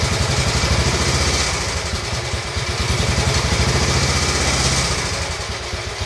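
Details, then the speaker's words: Royal Enfield Bullet 350 Classic, first start after cylinder hone, new rings, decoke, head torque, valve clearances and carb cleaning, after backfiring through the carb: steady single-cylinder idle with light even clatter, dislikes the choke; healthy, needs fine tuning. "okay A little bit of fine chewing in there it certainly doesn't like the choke at the moment"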